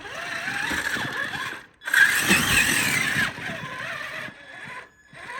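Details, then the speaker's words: 1/10 Traxxas Summit RC crawler on 2S packs in first gear with diff locked over rocks: thin high squeak rising and falling with motor load; owner suspects crusty, rusty transmission bearings after running in water, unconfirmed. "yeah we definitely have some squeaking coming from the transmission I think we probably have some pretty crusty and Rusty bearings"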